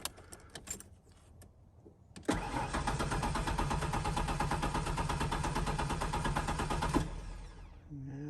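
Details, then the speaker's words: 1992 Ford Ranger XLT, 243,000 miles, fitted with a Mustang fuel pump, injectors heard clicking: steady starter cranking about three turns a second for nearly five seconds, no firing; cranks but won't start, suspected no fuel. "just seems like it's not getting any fuel now what let's check for some fuel"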